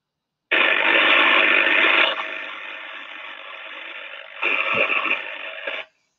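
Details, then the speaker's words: Sensor recording of high-voltage equipment with a dense hissing crackle and sharp sparking pops, the arcing of a discharging defect that the algorithm classified as partial discharge (PD). "so that one there is from a discharging defect and we can hear the crackling and the arcing and sparking going on so the algorithm is classified as a pd"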